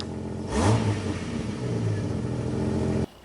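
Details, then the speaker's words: Jeep Wrangler TJ after alternator replacement, previously not starting with radio flickering: engine catches quickly with a short rev, settles into an even steady idle, no knocks or squeals, charging at about 14 volts; normal start and idle. "we should be able to start it up oh yeah see we're up at about 14 volts"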